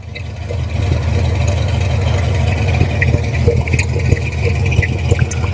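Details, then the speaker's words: 1964 Ford F250 4x4 after an exhaust repair with new collector gaskets to stop heavy exhaust fumes: the engine catches and settles into an even, steady idle with a deep note from the pipes and no puffing or ticking; it sounds healthy. "all right guys see what it sounds like pretty good actually have exhaust coming out of the exhaust pipes I like it"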